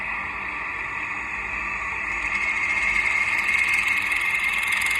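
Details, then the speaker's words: Industrial sewing machine with rotary hook timing set wrong: harsh, loud high clatter at a fast, steady stitching pace, and the thread isn't caught; fix is resetting the rotary hook. "เสียงดังก็คือสรุปแล้วก็คือตั้งโลตีผิดนะครับ"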